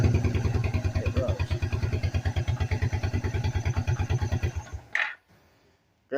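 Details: Suzuki Quadrunner 250 ATV (possibly 1997) with temporarily repaired starter (brushes swapped in, filed, soldered to main post): steady rhythmic cranking about three beats a second for five seconds, even pulses; starter spins engine properly; fuel system needed purging.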